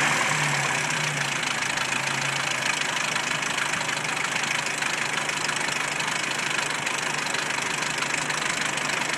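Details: 1993 Jeep Wrangler YJ, stock 2.5L four-cylinder, 245,000 miles, idling with an uneven tapping knock about three per second; owner suspects valves, piston slap or timing chain tensioner; engine knock.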